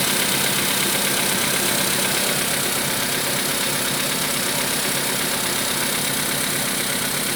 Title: Стук двигателя поло седан спустя 1000 км после замены поршневой